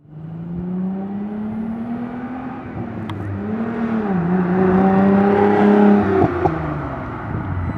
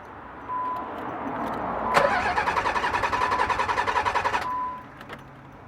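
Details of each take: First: Nissan 300ZX after fuel pump replacement (had kept shutting off after starting; new filter, relay, PTU didn't fix): engine starts, revs rise and fall smoothly with steady exhaust note and exhaust pops, no stumble; fuel delivery healthy. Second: Nissan 300ZX, new fuel filter, fuel pump relay and PTU fitted without success: starter churns in even pulses three to four a second for over two seconds, never fires; crank no start, fixed by replacing the failing fuel pump.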